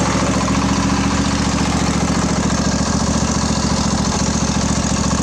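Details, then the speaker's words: Craftsman LT1000 20hp twin riding mower after carburetor repair, working fuel solenoid, primed carb, no choke, new spark plugs: fires and settles into even, steady low thump with no misses; normal idle. "let's see what happens ready go oh oh she fired oh i did change the plugs too"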